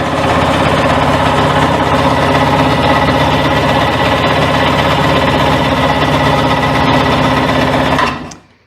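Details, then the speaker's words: 1998 Sea-Doo GTS, choke on, after spark and compression checks and new fuel lines, fuel filter and fuel selector: fast, even cranking for eight seconds that never fires; cranks but won't start, carburetor suspected. "now I can do this all day long and I'm not getting anything so let's put the choke back in it's still not going to make any difference so that's what I mean when we have a no start"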